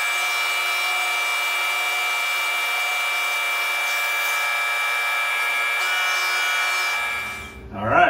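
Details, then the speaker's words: Tormach 1100MX CNC mill boring holes in a 6061 aluminum Brembo caliper bracket: a steady high ringing tone through the cut for about seven seconds, then stopping; slight boring chatter, barely visible in the hole. "got just a touch of chatter you could hear it a little bit can barely see it in this hole s"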